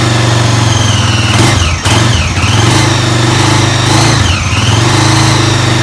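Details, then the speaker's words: Honda 400ex single-cylinder ATV rebuild, first start after fitting exhaust, carburetor, air box and fresh 10W40 oil: steady thumping idle with throttle blips but an odd noise on top; owner suspects valves adjusted wrong. "i don't know it doesn't sound good though it sounds it actually sounds like it's running really good except for that doesn't it because it's just like idling nice and it was like running nice and then what does that sound"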